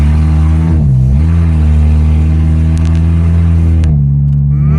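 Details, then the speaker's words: 2004 Honda CR-V (2nd gen) driving on the road after its catalytic converter was stolen; deep, loud droning exhaust rumble swelling and dipping with revs, even at low speed. "Why do people do this on purpose? Like, there's some people who actually take them out of their car on purpose because they think it sounds good."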